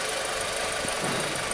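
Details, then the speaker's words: 2007 Volkswagen Fox 1.6 8V EA111, over 160,000 km, after head repair with new head bolts (had noise, overheating, misfire): even, smooth idle with no knocking, vibration or stumble; normal idle. "Nosso Fox 1.6 litros EA111 finalizado, motor sereninho, sem vibração, sem barulho, em funcionamento, cofre do motor higienizado, tudo limpinho, como tem que ser, né?"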